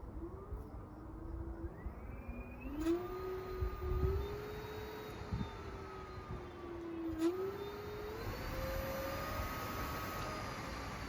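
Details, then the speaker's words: Voro Motors RoadRunner Pro e-bike at about 200 miles, mode 3, late-night quiet conditions: soft clean hub motor whine rising and dipping with speed, nothing rough; normal and very quiet. "the speedometer said 53 M an hour I know it wasn't 53 but it you hear how quiet it is now"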